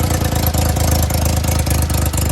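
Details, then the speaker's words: Daihatsu HiJet mini truck after head gasket, timing belt, water pump and valve cover gasket work, idle turned down: quick regular ticking puffs over low idle in step with firing, from an exhaust leak where the exhaust pipes meet up. "Tried to turn that idle down a little bit because of the exhaust leak. It's right here where it meets up."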